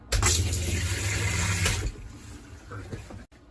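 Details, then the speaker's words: Mobile clinic bathroom sink after the fresh water tank is filled, with the tap opened and the water pump switched on: water gushes steadily over a faint low pump hum, then eases off; the pump and sink work normally. "So once the water tank has been filled, to operate the bathroom sink, first turn on the sink and go over to the pump switch over here and turn it on."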